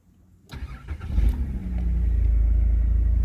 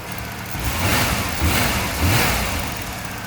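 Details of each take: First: 1991 VP Commodore before ECU replacement: the engine starts and holds a steady high idle (previously too low) with the check engine light on, from a faulty ECU; the coolant temperature sensor was already replaced without effect. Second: 1991 VP Commodore after ECU replacement: smooth, even idle at correct speed, no thermo fan running, A/C compressor heard engaging; then a clean shutdown and a door thunk. The new ECU fixed the rough running and the check engine light.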